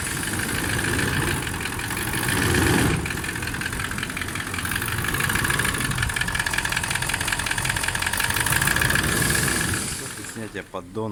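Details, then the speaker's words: Toyota 1VD-FTV diesel (200-series) idling: fast, uneven knock near four per second over the clatter; oil-cooling jets found in the oil pickup after pan removal, so the fault is pistons or bushings; engine pulled for rebuild. "Поиск причины стука. Мы видим, что в маслоприемнике все находятся форсунки маслоомывающие и охлаждающие. Соответственно, проблема либо с поршневой, либо со втулками."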